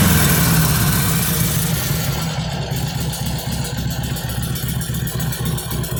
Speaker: all right so just get in the face line on what the harvey sounds and looks like it's a stock 2013 Sportster XL